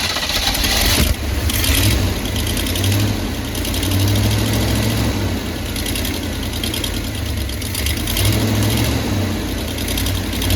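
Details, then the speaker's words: 1985/1986 Chevy Hi-Cube van V8 revived after fuel pump primed: deep steady idle, even rumble, no misses or knocks, runs pretty healthy; a mechanical fuel pump is planned. "But got it step in the right direction. It runs pretty good. Sounds pretty healthy."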